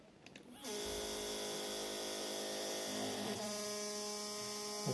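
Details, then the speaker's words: 3D printer Z-axis, two stepper motors in parallel on one driver at 4 A peak (2 A each), feed rate 1000: a loud buzzing hum starts abruptly and shifts pitch as one motor stalls and the other vibrates. Began after an earlier stall crash; cause unknown. "so one of them are stalled the other is vibrating"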